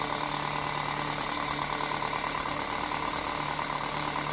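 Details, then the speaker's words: Unbranded antique 7-inch desk fan, found awful when first plugged in; loud constant motor hum with faint pulsing wobble about three per second, loudest thing in room, speed varies fast and slow; unbalanced blades and shaft play. "And it's really loud. And it's probably the loudest thing in here right now."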